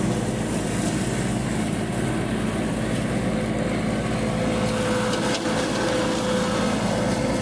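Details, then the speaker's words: Yanmar 424 compact diesel tractor, about a year old, previously bogging down, after treatment with BG 245 fuel system cleaner: steady, even diesel clatter with no stumbling or bogging; healthy, smooth running. "so far so good seems like it's running great now and hopefully that continues"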